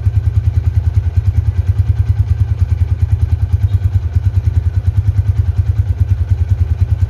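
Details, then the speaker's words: 2011 Honda Tiger Revolution with 10,000 km: an even single-cylinder idle, pulsing about three beats a second, smooth with no tick or clatter; a normal, healthy engine. "di mesin yang gak ada suaranya apapun tuh halus banget kalau yang masih nyes KM rendah seperti baru itu kayak gini teman-teman di mesin gak ada suara apapun super halus banget"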